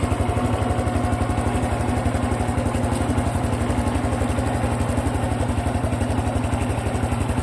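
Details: Honda Cub Pro single-cylinder engine at idle after an oil change meant as a countermeasure: fast, steady ticking clatter, even throughout; abnormal mechanical engine noise persists, cause unknown.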